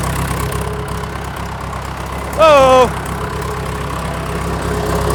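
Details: John Deere 450B dozer diesel at idle after engine removal, oil leak repair and new clutch. Steady, even low rumble with one short chirp midway, no knocks; normal idle.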